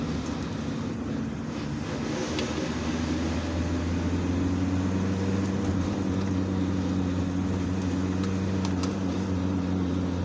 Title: Volkswagen T4. 2.4 D 1995. Gearbox noise. While load on the transmission.